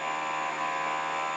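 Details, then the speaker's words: Motorcycle ABS service bleed with software activating the solenoids while the front brake is held, engine off: steady, even electric buzz of the ABS module cycling; normal. "And as you can hear the noises there, that's the anti-lock brake module activating."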